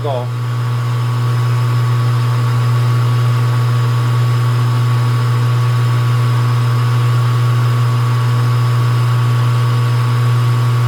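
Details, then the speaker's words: Small lathe cutting a 20 diametrical pitch, 14 degree pressure angle, 50-tooth gear at a 30 depth with reduced feed, steady motor drone with an even cutting rhythm of about four per second, no chatter or bogging. "Turn my feed rate down a little bit. Sounds like it's taking it all right."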